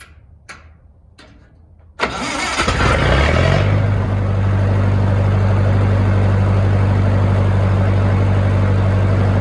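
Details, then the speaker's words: Lincoln SA-200 welder with Continental F163 engine after Marvel-Schebler carburetor rebuild: clicks, then catches and settles into slow steady idle about three beats a second; idle rpm slightly too low for the exciter to produce output. "so I don't know if you can hear it like I can but those low idle RPMs are just a just a Teensy bit too low what happens when you get too low on your RPMs is your Exciter does not make enough juice to excite anything"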